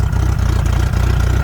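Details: 1990 VIP Vision boat engine restarted after a compressed-air flow check and reassembly: deep, even idle with a steady low pulse and no misses, rattles or clatter; normal idle.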